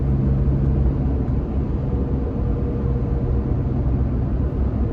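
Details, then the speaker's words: Toyota Tacoma at 55 mph with OEM roof rack crossbars stowed, window up: steady low road and engine rumble, no whistle or tonal howl; normal cabin noise, no difference heard from rack. "i don't hear any difference at all let's put the window down i suspect just a lot of wind noise i just hear wind noise from the window"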